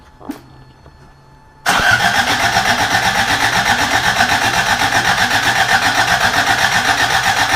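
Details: Rebuilt carbureted Toyota Corolla, first start attempt: starter spins engine with even chug about four per second, never catches; no fuel reaching carburetor.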